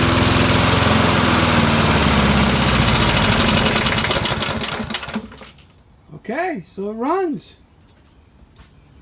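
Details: 1988 MTD self-propelled mower, head just refitted and running on premixed gas: steady, even putter for about five seconds before it winds down; runs normally.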